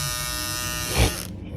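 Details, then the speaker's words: Andis GTX-EXO T-edger clipper after repair, broken blade-holding bracket replaced with new part and blade gap removed: clean, even high-pitched buzz with no rattle or chatter before switching off; running smooth, normal. "we back in the game clipp it back to where it need to be the blade back to where it needs to be yep done deal"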